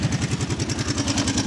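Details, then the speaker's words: Kawasaki 650 engine in an abandoned machine, warming up; steady idle with a light metallic clatter on each firing pulse, about eight beats a second, which grows as it warms; the owner is 90% sure it is chain noise; not confirmed. "Yeah, as you're getting warmed up, you can hear that chain noise a little more. Like I said, I'm 90% sure that's what it"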